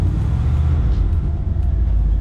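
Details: 1968 Cadillac Coupe de Ville V8, first start after sitting 5+ years: deep, steady low rumble with even firing, no knocks or misses; idles smoothly and sounds healthy.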